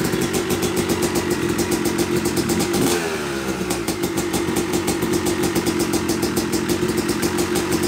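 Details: Yamaha YZ250 two-stroke (270cc/250cc) motocross bike, first start after a full engine rebuild (bottom end, transmission, bearings, clutch, power valve), took a few kicks: sharp rapid ring-ding idle with a brief blip, then steady even firing; smoke from assembly oils normal; runs normally.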